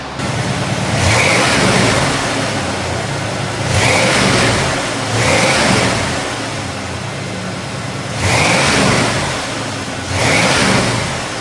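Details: 1988 Ford Bronco, 351 Windsor V8, A4LD 4-speed automatic, dual exhaust, 6-inch lift, hood open: a deep, smooth burble with crisp, even rev blips that rise and fall cleanly, a healthy engine.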